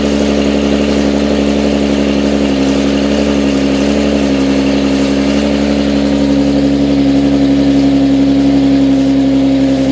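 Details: Nissan 370Z with a single-piece lighter flywheel, cold start idle after switching to thicker Redline MT-90 gear oil: steady hum with only faint, light manual gearbox rattle as revs settle.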